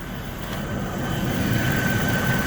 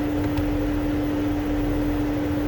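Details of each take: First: 2008 Mercedes-Benz CL500 (W216) after installing a used climate control unit: even idle with faint accessory whine and no fan roar; engine cooling fan no longer stuck on high, heat and blower restored. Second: you can hear the fan is stuck in high speed position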